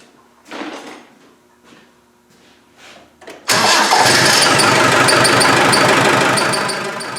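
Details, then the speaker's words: Land Rover 110 300Tdi diesel, rebuilt last year: no screech while cranking, but once it starts a sharp high squeal sits over the idle clatter; clutch release bearing suspected, source still unknown. "they no Screech it's no Screech when it's cranking but when it starts it screeches I'm just wondering if it's the the U clutch bearing"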